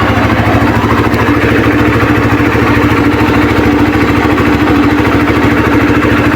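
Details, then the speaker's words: Suzuki Satria FU 150 checked before buying: a steady, even single-cylinder putter at idle with no knocks, rattles or hunting; normal, healthy engine. "Terus kita cek dulu suara mesinnya ya, dia getar apa enggak gitu kan."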